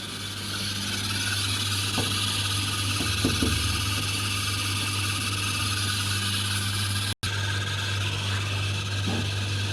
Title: DV80TA02OAX 8kgs Samsung dryer repair;Motor replacement to fix unbearable squeaking noise